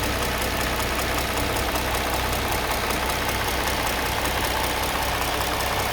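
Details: Mercedes M272 petrol V6 idling: steady light tapping about two per second over the hum with a faint squeak, noise present between 700 and 1500 rpm; cause not yet identified.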